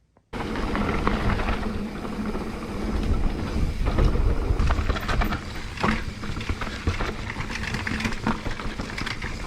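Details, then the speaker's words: Mountain bike riding down a rough trail gives irregular sharp metallic slaps and clatter that bunch up on bumps. It is chain slap against a hard plastic chainstay protector with no foam pads. "Yeah, that is all chain slap. It's got a chain protector, but it's made of hard plastic, and unlike with the Tai, where they put foam pads on it, with that they haven't."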